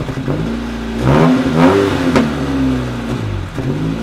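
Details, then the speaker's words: V2 generator/cogeneration unit with a heat exchanger connected, on a test run after many changes, throttle/fuel setting too low: revs surge up and sag unevenly about twice a second and never settle; the engine is starving for fuel and running rough. "Well this is a sign that it does n't work enough we give it gas it doesn't have enough gas"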